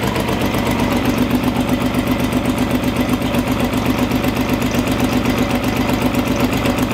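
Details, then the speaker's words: Timing now correct, running after top cover torqued to spec, jump-started: loud uneven lumpy idle with pulsing beat and mechanical clatter on one side; rough running, suspected bent valves from first start-ups or a missing sensor, compression test pending. "What do you think? It's not running smooth."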